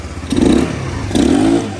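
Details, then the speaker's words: GY6 150cc Chinese engine: two sharp throttle blips, revs climb quickly and cleanly with no stumble or bog; clean throttle response. "nice no bog sounds pretty good number two boys sounds like it has more power than that other one"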